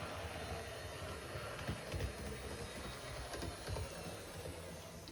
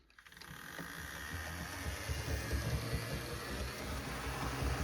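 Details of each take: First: HO scale GP60M locomotive (one of three bought as a cheap used lot) on test track: even, steady motor whir with light track rattle, no catches or surging; runs great, though motor may be replaced in future upgrade. Normal running. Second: HO scale GP60M model locomotive (Warbonnet unit) on test track under power: low rough grinding rumble builds as the motor spins up, noisier than the other unit; owner suspects a wire grinding in the drivetrain, unconfirmed, wiring to be redone with new decoder.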